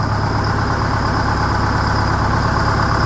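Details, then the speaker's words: 1969 Hayes HD 6x6 with Detroit Diesel 8V71, first run after 14 years parked: dense, steady idle rumble, even firing with no misses or knocks; smoke cleared, owner calls it a good motor — normal idle. "That one pipe quit smoking, so that's good. Sounds like it's running real smooth, too."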